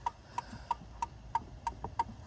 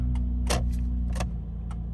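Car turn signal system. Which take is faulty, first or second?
first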